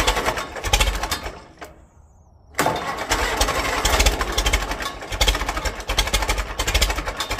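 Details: 1946 Case VAC tractor, first start attempt; engine cuts out for a second, then catches and runs rough with uneven, ragged bursts instead of a smooth beat; owners say it needs cleaning out; rough running, cause not confirmed.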